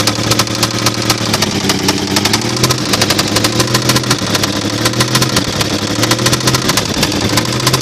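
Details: 1995 Toyota 4Runner 3.0 running with a sharp steady metallic knock on each rev, rising with throttle: connecting rod knock, loose from the crank.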